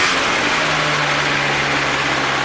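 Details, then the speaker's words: 1985 Nissan 720 pickup, carbureted 2.4L, after vacuum hose replacement: idle no longer crumbly and white smoke gone, but a constant low buzzing at idle. Strong gas smell; the buzz seems to come from the middle of the carburetor. "yeah it just smells like gas yes there something like buzzing"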